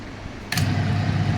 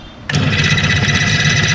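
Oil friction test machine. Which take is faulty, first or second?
second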